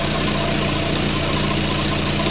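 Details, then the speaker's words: 1994 Volvo 480 2.0 ES idling after fitting a new front downpipe and catalytic converter: rapid puffing chuff and sharp ticking in time with firing, exhaust blowing at joints; owner suspects damaged donut gasket, water spitting out, every joint leaking. "I really cannot stop it it's blowing everywhere now so what I think's happened is the donut has now become damaged because I've moved things around"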